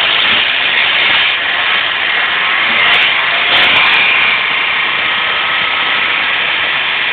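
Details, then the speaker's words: VW LT35 diesel van at idle: harsh, loud, irregular metallic rattle, "like a bag of spanners", over the idle. Cause unclear. Engine rattle at idle. "you can hear it but there's that horrible rly noise look at the engine fun l [Applause] I don't know if you can pick it up but you can hear it from me like rattle rattle rattle rattle"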